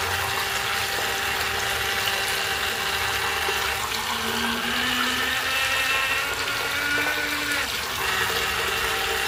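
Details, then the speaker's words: Noisy faucet on a 2000s Celite sink: rushing water with a faint wavering whistle drifting up and down in pitch; cause unclear. "fazendo tá muito barulho. Tá fazendo barulho."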